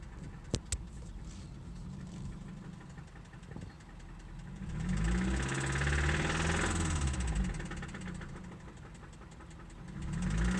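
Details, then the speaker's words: 2003 Toyota Celica GT manual petrol engine at start-up idles with a steady low knock swelling in two revving surges; absent when cold, much worse when hot: engine knock. "Here is a 2003 Celica GT manual with an engine knock."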